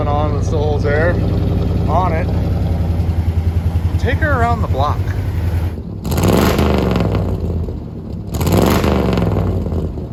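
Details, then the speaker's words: 1974 International Harvester heavy half-ton pickup, first run in a long while: lumpy, irregularly pulsing idle then two throttle blips, owner thinks only three or four cylinders firing. Rough running, cause not confirmed. "that sounds like four cylinders there that sounds like four cylinders there i think maybe three it's the first time it's ran in quite a while"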